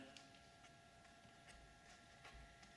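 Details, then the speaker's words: Q Power bike with hydraulic disc brake, wheel spun after turning the pad adjust screw counter-clockwise to pull pads away from the rotor; quiet free spin, faint tick each turn, no scrape: normal, no more rubbing. "and that sounds good no more rubbing so basically again i adjusted that screw which pulled adjusted counter clockwise which pulled the brake pads a little bit further away from the rotor and i did enough so i didn't get any uh any more rubbing"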